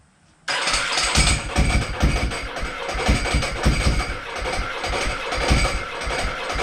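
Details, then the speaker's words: Ducati Multistrada, just bought, water in exhaust, starter kept turning after button release: fires into lumpy twin idle with loose uneven clanking rattle on top; normal dry clutch clatter. "so stir it up man is that the dry clutch yeah the clanking"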